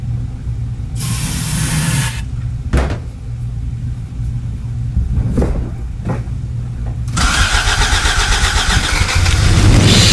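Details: 1986 Toyota MR2 AW11 after fuel pump replacement and tank reinstall: starter cranks in short bursts, engine catches briefly with a sharp pop and some smoke, then stumbles; fires but won't keep running.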